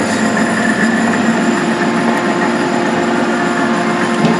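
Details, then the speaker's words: Gentleman Janitor boiler with Van Wert stoker burning pea anthracite, running on a heat call after six days: steady rumbling drone with constant hum and faint rattle; input shaft (belt one side, fan other) has a lot of end play causing the noise. "the uh the input shaft which you got the drive belt on this side and the fan on that side it's got a lot of end play so that's what all that noise is"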